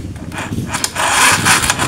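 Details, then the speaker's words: KLX 150 whose owner reports weak starting after sitting overnight and even after riding, despite a new battery: starter motor fails to crank, giving only short scraping bursts and clicks at the button, like a weak battery; cause not yet confirmed. "Jadi dinamo starternya tidak ngangkat, hanya bunyi keces. Tuh. Memang benar seperti aki yang lemah."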